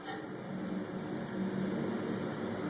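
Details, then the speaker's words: Direct-drive air handler blower motor spun by hand, giving a steady low, rough roar from a worn front bearing; motor needs replacing. "I don't know if you guys can hear that roaring sound in the bearing that means this motor needs to be changed"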